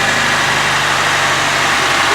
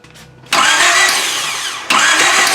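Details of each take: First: 1995 Honda Civic EG, manual, just restarted after a no-start: steady, even petrol idle hum with no knocking or rattle; normal idle. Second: 1995 Honda Civic EG cranking after starter work: two long bursts of steady starter whir, the engine spins over but never fires; cranks, no start, igniter suspected.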